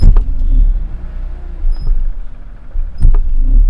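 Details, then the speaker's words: BMW E46 3 Series, clutch in, first gear, e-brake engaged and released to jerk driveline: steady low idle with two dull thuds, a mild driveline clunk under load; loud clunk could mean subframe mounts, carrier bearing or guibo. "and this one has a little bit of a clunk to it you're going to listen for any kind of really loud clunk"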